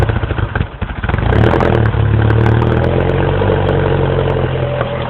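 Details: 2007 Mini Cooper S, cold start after sitting overnight, about 9°F in garage and 5°F outside: idle stumbles and chops unevenly, stalls, then shaky run; dealer diagnosed condensation ice in the throttle body housing, later replaced.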